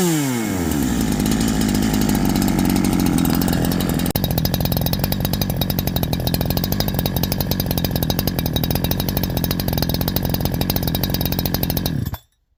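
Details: Holzfforma G372 chainsaw with 24-inch bar, after crankshaft seal replacement fixing a factory air leak: screams to full revs then holds strong even note through the cut without bogging; normal cutting under load.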